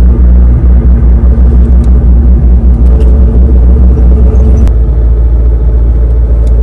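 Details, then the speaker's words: 2003-2004 SVT Cobra T56 with an upgraded 26-spline input shaft and McLeod RXT clutch, at idle in neutral: low rumble with a fine rapid gear rattle that stops with the clutch pressed; owner suspects input-shaft shimming, input/countershaft area. "but in the end I still came out with a little bit of gear runout noise in neutral and I had other people message me saying they had the same thing"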